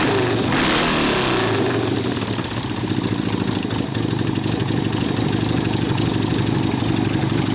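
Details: 1972 Harley-Davidson XL Ironhead Sportster bobber during a clutch, primary and case repair rebuild, after flooding: kicks over and catches, then settles into a steady loping V-twin beat around three a second; running normally.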